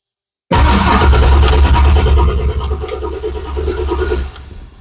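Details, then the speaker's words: 1983 Mustang GT Foxbody big block after replacing a weak AutoZone starter with a Powermaster XS Torque starter and new group 24 battery: brisk, strong cranking with quick even compression pulses about three per second; spins over freely. "That spins it over. Nice."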